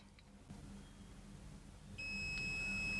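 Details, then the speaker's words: Multimeter continuity test on a transformer's secondary winding (output wire pins): steady high-pitched continuity beep, reading drops to zero ohms; winding intact, normal continuity. "அதே மாதிரி beep sound வருது, ஜீரோவுக்கு போயிடுச்சு. அதே மாதிரி இந்த வைண்டிங்கை செக் பண்ணலாம். இது ஜீரோ போயிடுச்சு."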